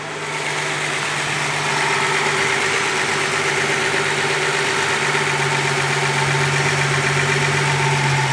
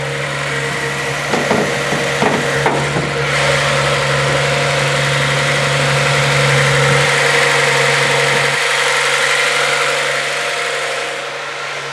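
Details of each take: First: Warmed-up Z car at its normal idle of about 750 rpm, per the manual and the sticker, after a high idle: a smooth, even, low hum with no knocks or misses. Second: Cold Z car with T-tops just started in the morning after recent work: a steady, mid-pitched idle sitting a bit fast. The owner suspects the cold start valve running rich is the cause and expects it to drop when warm.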